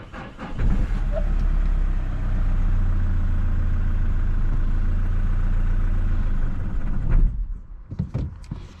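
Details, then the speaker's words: 2017 Mazda 6 2.2 Skyactiv diesel, recovered as a non-runner, with DPF restriction and turbo underboost codes: fires and settles into a steady low rumble for about six seconds, then cuts out on its own; starts then stalls. "What I've got 2017 uh Mazda 6 with a 2.2 Sky active engine in it was recovered in as a non-runner. Engine starting and cutting out"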